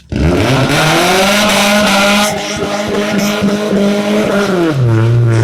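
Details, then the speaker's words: Chevrolet Cavalier while driving: a loud droning growl with a steady low tone that holds with road speed; owner hopes it's an axle but doubts it, cause not yet pinned down. "All right, now you need to hear it, bro. So loud."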